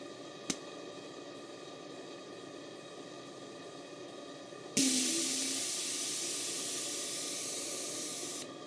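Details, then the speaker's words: Gas-fired model steam boiler heated with a blowtorch burner head, at working pressure: the safety valve pops, gives about four seconds of loud steady steam hiss, then snaps shut as pressure builds again; normal blow-off. "how a model safety valve that should sound it pops as it blows off and then very quickly shuts and the pressure builds back up"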